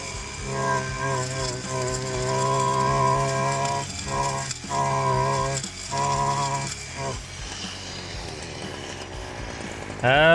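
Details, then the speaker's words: STIHL FC 56C edger after rebuild for not reaching full throttle and blade stopping, cutting a walkway: strong two-stroke drone holds pitch through the cut with brief load dips, revving cleanly after; pulls well under load. "So, that sounded really good. Ran really good. Cut really good."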